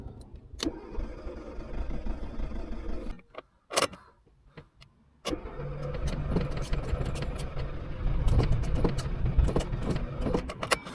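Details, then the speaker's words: Car brought to a mobile mechanic for a non-start after a dead battery; cranked cold on a jump pack in neutral with the accelerator floored. Repeated cranking bursts and stalls, then a rough, struggling catch with smoke as fuel burns off. The engine was flooded with fuel. "look at all the smoke don't know if you can pick that up but that's all the fuel just burning off so yeah as suspected that's all it is uh just the engine is flooded with fuel"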